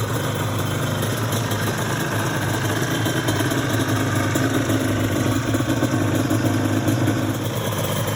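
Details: Restored Yamaha Banshee two-stroke twin quad, saved after sitting 14 years, in show condition: an even, crisp burble held steady at idle with no misses or rattles. It idles cleanly and sounds healthy.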